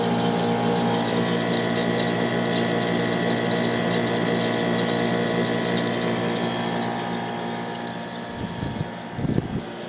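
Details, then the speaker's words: GE (Fedders-made) 10,000 BTU air conditioner with a Rotorex compressor, just cleaned and reassembled: an even compressor hum, steady fan airflow and soft gurgling refrigerant flow. The unit runs smoothly and sounds healthy. "Lots of air going through there now. This thing has a real nice sound to it. Compressor sounds great. Getting some nice refrigerant sounds."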